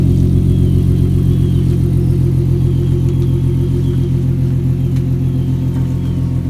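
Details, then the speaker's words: Nissan G V6 at cold-start idle after coil packs were fixed, on jack stands: deep, even rumble holding steady with no misses, knocks or stumbles; running fine. "i'm gonna get a little sound clip at the very end of car cranking up from cold start"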